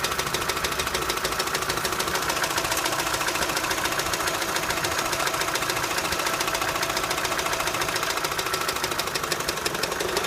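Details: Opel Astra H 2006 Z16XEP engine, knock appeared at 170,000 km: fast tapping about three to four beats a second over steady idle; shop suspects intake manifold and TWINPORT flaps, rough running with dipstick out suggests valve-cover breather valve; unconfirmed.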